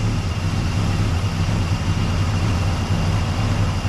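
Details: 1961 Cadillac V8 idling at about 590 rpm (manual calls for about 450) after fixing mistakes and dialing in the carb: deep, steady, even rumble with no knocks or misses, a healthy idle.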